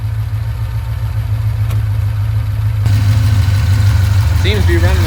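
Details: 1989 Ford Mustang GT V8 after a tune-up with new copper spark plugs and plugged vacuum hoses: deep rumble picks up on start and settles into an even idle with no stumble or miss, partly covered by music; runs cleanly.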